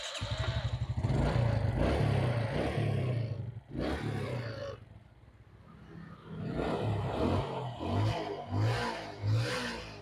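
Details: Suzuki Smash motorcycle after carburetor work and fitting a pod filter, previously misfiring (brebet) on throttle with fouled black plug: quick throttle blips climb and drop cleanly to steady idle, normal idle and revving.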